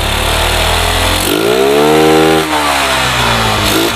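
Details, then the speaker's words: Yamaha Jupiter MX after swapping to an RX Special carburetor: starts immediately, settles to a steady idle, revs up cleanly and drops back smoothly with no misses; normal start and revving, final adjustment still pending. "Maaf on contact nya terlebih dahulu nah normal ya Langsung hidup"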